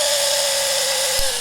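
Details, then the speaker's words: 1950s (Dec 1952) Black & Decker U2 electric drill, still works; steady high whine over rough buzz, pitch sagging slightly; owner suspects motor runout needing tune-up, cause unconfirmed. "This thing still does work, but it sounds like it's got a weird run out problem. So the hairs of the motor probably need to get tuned up a little bit, and then it'll be great."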